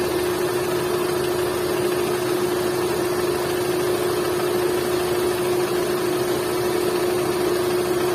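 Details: Hyundai Santro 1.1 L: steady idle with a constant mid-pitched whine and no knocking rhythm. Abnormal engine noise, cause unclear.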